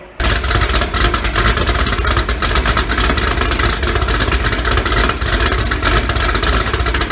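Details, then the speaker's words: 2018 Gen 6 Hot Wheels Camaro, LME 416 stroker pushrod V8, D-1X ProCharger, Holley port injection, ported heads, big blower cam, first start, still needs tuning: loud choppy steady loping idle like a 60s muscle car; healthy big-cam idle. "we got the hot wheels car running and it sounds great choppy idle you know it's got a big ham in it sounds like a 60s muscle car really really nice"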